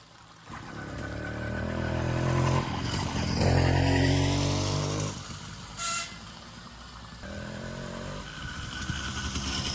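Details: Small two-stroke motorbike started by dumping the clutch while pedaling, after draining bad gas and adding fresh premix. It catches, climbs in pitch through a couple of revs, then drops back and runs cleanly without stumbling.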